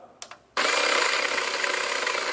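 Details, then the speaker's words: Baratza Sette 270 coffee grinder after shim installed for espresso: a couple of clicks, then motor spins up to a steady high whir with no scraping of the burrs. Normal grinder motor running. "spinning and it's not making any noise indicating that the birds are hitting each other i'm very excited it sounds like it completely worked"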